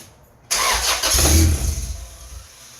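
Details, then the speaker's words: Honda EK sedan with a GSR engine swap, first startup on the stock header: catches at once with a sharp roar, flares, then settles toward idle; clean first start. "I mean, it started. That's a win,"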